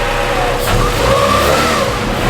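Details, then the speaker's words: Honda EM1 naturally aspirated engine on the dyno, VTEC pull under full load, stuck at 158 on fuel of unknown grade: a hard rising rev with a clean, steady howl. Healthy engine at high rpm. "but let's do a couple poles and let you hear this vtec because it is sounding so good let's do it"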